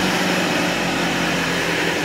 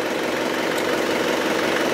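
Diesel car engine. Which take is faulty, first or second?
first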